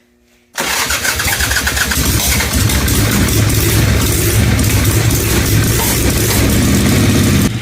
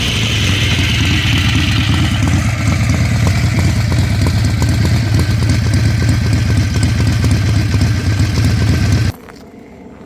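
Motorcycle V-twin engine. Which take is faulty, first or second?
first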